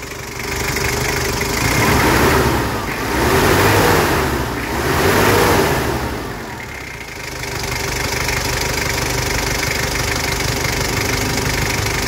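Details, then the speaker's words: 2012 Mazda BT-50, 2.5 TDI diesel with a mechanical injection pump, 135,000 km: three quick throttle blips, then a steady, even idle with no misses or stumbles; turbo working, healthy engine. "garing mesin sangat mantap pemirsa tooksare tidak pincang Turbo juga bekerja"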